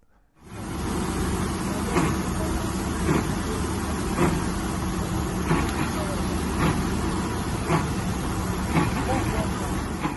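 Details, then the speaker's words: Triumph Stag 3.0 V8; rough grinding roar with pulsing surge about once a second, sounding catastrophic; cause failing viscous fan coupling (Torquatrol unit), found after changing water pump and other engine parts. "okay so i think you've got the message now not very uh nice noise at all and um you start to worry what on earth that engine noise could be it really is a scary noise"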